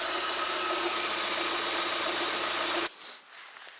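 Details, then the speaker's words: VAZ 124 16-valve engine (VAZ 2110-12/Priora) after head rebuild and new timing belt: even, steady idle with no knock or tapping; earlier knock disappeared after about a minute, cause not found, normal running. "Сейчас поеду, в общем-то, на ходу проверю еще, появится он или нет. Так, в целом сейчас работает нормально."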